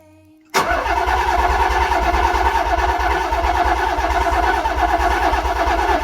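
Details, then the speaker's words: Nissan 300ZX Z32 VG30DETT twin-turbo V6, cylinder 1 (previously faulty, lifter/valve problem), compression test cranking without fuel after repair: steady even chug about four beats a second, no weak stroke; gauge reads 140–145, normal cranking compression. "Et voilà, réparé. Ouais, c'est beau ça. 140, 145. Parfait."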